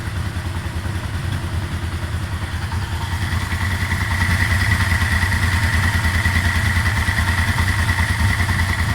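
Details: Yamaha Vmax V4 fully hot with the fans running, oil gauge just off the needle: a fairly regular tapping about three a second over the idle that grows louder as revs rise; owner suspected oil pressure, cause unknown.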